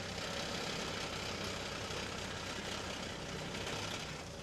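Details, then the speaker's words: Stolen-recovered Range Rover Evoque at idle: loose, uneven metallic rattle about four per second that clears when the clutch is pressed; heat shield buzzing against the exhaust. "yeah it clears when you put the clutch down yeah heat shield"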